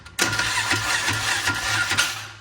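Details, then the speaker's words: 2001 Polaris Ranger (Series 10) whose starter had been locked up and was freed by hitting it: harsh metallic grinding while cranking with an uneven chug about four beats a second; the starter itself sounds worn out. "that's not the motor that's the starter and that sounds terrible"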